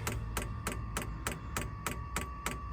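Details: Sunster Chinese diesel heater fitted in a motorhome, pump outside with about 20 ft of fuel line, priming after start: sharp even clicks about three a second over a faint fan hum; normal fuel pump ticking during priming.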